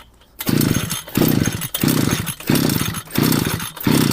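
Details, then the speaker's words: Two-stroke string trimmer (brush cutter) deliberately flooded by long cranking on choke after refuelling from an empty tank: six recoil pulls about two-thirds of a second apart, each a short rasping turnover that never fires; engine flooded. "Все, не заводиться. Все, тепер воно не заводиться."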